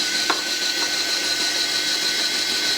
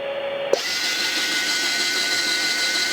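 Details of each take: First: US military RT-834 HF transceiver (GRC-106A), out of its case with a receive/transmit frequency fault, retuning from 10 MHz to 3 MHz: steady high tuning-motor whir under three seconds between two light clicks; lands right on 3.0000, motor healthy. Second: US military RT-834 HF transceiver (GRC-106A) retuned from 11 MHz back to 10 MHz: tuning motor whirs steadily about four seconds, then the receive tone returns high and off pitch, not 1 kHz; synthesizer loop unlocked until the 100 Hz control is turned up.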